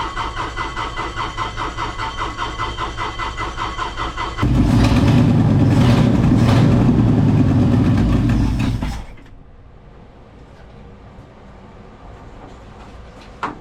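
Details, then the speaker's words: Ford F250 being started to warm up; it lopes and stumbles unevenly at idle, then gives a loud flat roar before dropping away. Rough running that the owner believes is a fuel delivery issue. "okay so I am pretty well certain we have a fuel delivery issue"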